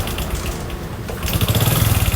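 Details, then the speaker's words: Honda Supra X 125 (KPH engine) motorcycle, recently rebuilt but brought in stalled and pushed: fires into a rough idle with a hard, regular knocking over a low rumble; harsh knock from the piston. "Beh, suaranya sangat gurih ya. Ini jarang nih Supra X15 ketemu dengan kondisi seperti ini. Suaranya itu seperti garing dentuman dari piston ya."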